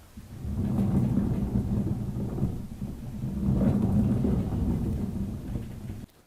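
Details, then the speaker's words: Worn rear axle bearing from a 1999 2WD Toyota 4Runner (3rd gen, 265,000 miles), turned by hand and giving a low rough grinding rumble before the axle seal and bearing replacement. "And finally, if you want to hear what a bad bearing sounds like, take a listen."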